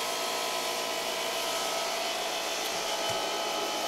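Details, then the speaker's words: Cheap air compressor on Cobra CPI2550 2500W/5000W inverter, tank filling: steady even motor roar with constant high hiss, no stumbles; runs normally, drawing a little over 1000 W, about 11 A, expected to climb with tank pressure. "so the uh draw out of curiosity on this compressor is a little over a thousand watts it'll probably climb as the pressure increases in the tank"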